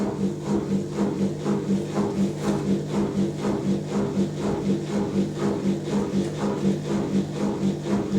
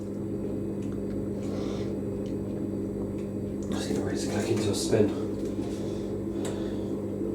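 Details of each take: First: Zanussi Electrolux Aquacycle 1200 ZWF1221W washing machine on a 900 spin after new motor carbon brushes were fitted: steady droning whine with a soft pulse about twice a second. Very whiny because the new brushes are bedding in. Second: Zanussi Electrolux Aquacycle 1200 ZWF1221W washing machine quick spin: steady motor hum with a faint high squeak from new carbon brushes still wearing in as the drum ramps toward 850 rpm; should quieten once bedded in.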